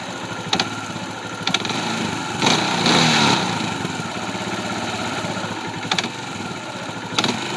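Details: 2004 Kawasaki Bayou single-cylinder quad idling unevenly, with a knock or catch at low idle that worsens on throttle blips; sometimes sputters and stalls. Timing chain is snug and timing is set correctly. Owner unsure whether it is normal.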